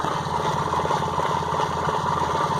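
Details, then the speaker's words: 1998 Honda Accord after new plug wires and distributor cap: low, uneven, lumpy idle with irregular misses that never quite stall. Rough idle, cause not found. "it runs with a rough idle i'm not i'm not completely certain on what that might be"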